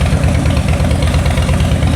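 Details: Salvage-auction wrecked 2013 Harley-Davidson Heritage Softail, just started, loud exhaust; deep loping V-twin idle with steady uneven-firing thump, no rattles or knocks. Sounds real good, normal idle.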